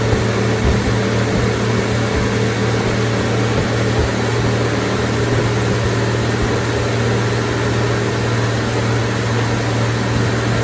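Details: 1990 Ford F-150 4.9L 300 inline-six after reinstalling serviced fuel injectors and intake plenum: smooth, even idle with steady low drone, no misses, knocks or ticks; normal idle, runs great with more power.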